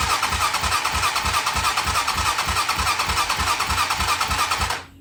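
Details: 2007 Hawk 250 Chinese single-cylinder dirt bike with crank-no-start, cranked with plug out on compression gauge: steady starter cranking about three pulses a second, never catching; compression about 60 PSI.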